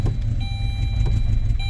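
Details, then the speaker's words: 2007 Saturn Ion 5-speed that sat: a lumpy, uneven low idle with a chime beeping over it, smoothing out after a minute. Owner suspects bad gas; fuel smell, no check engine light. "She's not happy. She's probably got some bad gas in her. It runs though very poorly. Actually, after letting it idle for a minute, it's starting to smooth out."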